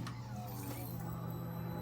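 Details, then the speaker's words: Gen 1 Kawasaki ZX-10R with mid-range power cut, after fuel pump and filter sock replacement, tank set on unbolted: key-on prime gives steady low hum with faint high whine, sounding stronger than the old pump; normal priming. "that sounds strong stuffy sounds stronger than the last one huh"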